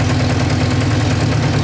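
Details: Yamaha motorcycle that cuts out when throttle or choke is touched, before carburettor cleaning: low, steady idle with slightly uneven lumpy pulse; rough idle, carburettors suspected of needing cleaning.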